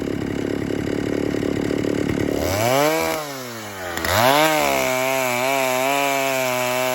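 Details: 1960s Stihl 08S two-stroke chainsaw, about 60 cc, after 1/8-turn richer adjustment: rapid burbling idle, revs climb, dip and recover smoothly without bogging; "a lot better", normal running.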